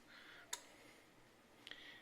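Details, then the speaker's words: 2007–08 Nissan 350Z (HR) cooling fan active test with ignition on: two sharp relay clicks about a second apart, no fan rush follows; fans never turn on, either fans or relays suspected bad, not confirmed. "can hear the relays clicking but I do not see the fans turn off which is what we want I don't see any of the fans turn on yeah none of the fans ever turned on nothing on the fan"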